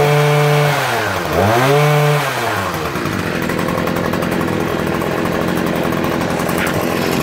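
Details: Stihl HS81T 23 cc hedge trimmer, built October 2013, primer replaced, just started: the small two-stroke revs up and down, then settles into a steady, clean, even buzzing idle; runs fine.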